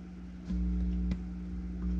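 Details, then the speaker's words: Philips HiFi Automatic 406 turntable, touching the four tonearm signal leads: steady low hum swelling sharply at each touch; owner suspects a grounding fault or crossed audio lines, not confirmed. "that shouldn't be happening you hear it it's reacting to me touching it"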